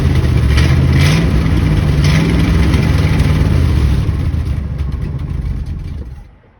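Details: 1967 Ford F-250 Highboy, 352 V8, four-speed, 82,000 miles, long abandoned, fed from a fuel cell through the pump and filter to the carb, with no choke: catches and runs unevenly with a loping beat, then sags and dies.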